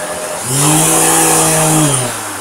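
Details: Vacuum cleaner with loud rotational vibration: deep droning roar that swells and holds like a revving car engine; the ball bearing in the rotating ring is suspected to be failing or to have too much friction, possibly from dust.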